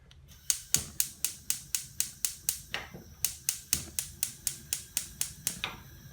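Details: Candy CLG64SPN gas hob after thermocouple replacement: crisp, evenly spaced igniter ticks about two per second in a quiet room, sparking normally.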